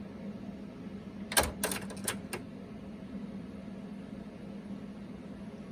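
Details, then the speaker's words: Panasonic RX-DT501 boombox, deck 2 with the belt installed incorrectly: about five sharp solenoid clicks per second over a faint hum while the deck won't play; refitting the belt correctly fixed it. "That's why it doesn't it doesn't uh play at all. See, by the way, that's the sound of the uh of the uh solenoid."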